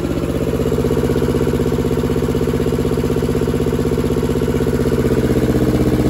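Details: German air-cooled Deutz F2L511 two-cylinder diesel, ex-forklift, sat about 5 years: steady, even clatter at about four beats a second with no misses or stumbles; idles cleanly.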